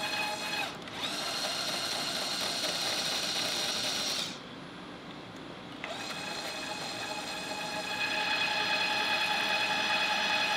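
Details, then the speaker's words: Electric tapping arm cutting two 1/4-20 holes through a 3/8-inch steel plate at 150 rpm in and 250 rpm out. A smooth, steady motor whine with a brief pause at reversal, then an even run back out; the tap cuts cleanly. "all right just like that I got two quarter 20 tapped holes through a 3 8 inch thick steel plate in seconds I mean come on super easy"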